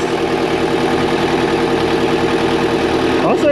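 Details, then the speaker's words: 2002 JLG 86T lift diesel after fresh engine rebuild: steady, even idle hum with no misses or knocks, running smooth; slight fuel leak on top noted. Normal idle. "thank you for the extra parts though man she sounds good I know it we got a little bit of the fuel Lake up on top but it's an easy"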